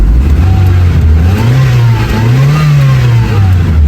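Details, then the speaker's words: Honda City Type Hyper 16-valve petrol after final repair, check engine cleared, warming up at night: raised, slightly wandering idle with smooth low hum; normal cold fast idle that should drop as temperature rises. "pinapainit ko an pinapainit ko siya. Pagka ito tumaas yung temperature bababa naman yan yung idle."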